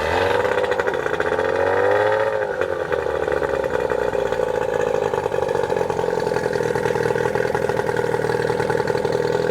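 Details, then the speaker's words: New Hangkai 18hp two-stroke outboard, first start after a year stored unrun, cold, on water muffs in neutral with choke out and about quarter throttle: it catches easily into a crisp, even high buzz with no misfire. Normal cold start. "Well, that was a lot easier than I thought it was going to be."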